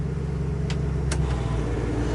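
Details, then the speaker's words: 1967 Chevrolet Camaro RS with 327 V8, temperature just coming up: steady low idle with a couple of sharp clicks as the AC compressor clutch kicks right on, engine settles without strain; air conditioning working normally. "There it is. Kicked right on. You can hear the compressor kick on. So we have air conditioning."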